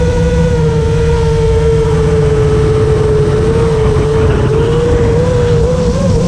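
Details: FR7 quad after tuning with D-min off (D-min had caused raspy, carbon-like resonating motor noise), RPM filter on at 1.5, master slider 1.4, dynamic idle 15: steady motor whine rising and wavering slightly with throttle, no raspy grit; motors sound clean and healthy.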